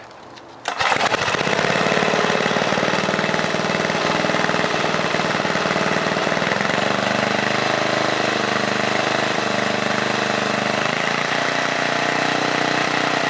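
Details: 1978 John Deere Tecumseh HM80 8 hp 318cc engine from an 826 snowblower, restarted: fires at once and settles into a steady, even single-cylinder putter with no misses or knocks, running healthy.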